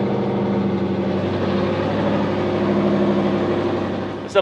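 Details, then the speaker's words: Freshly refreshed 2011 Ford Mustang GT, new Coyote V8, first startup before the dyno: extra idle air added, steady even idle at about 1100–1400 rpm with no misses, still slightly high idle; wideband sensors not reading, headers getting hot. "so we got the car idling at about 1100 to 1400 RPM still on a little bit of high idle but we are still flying blind with no wideband sensors"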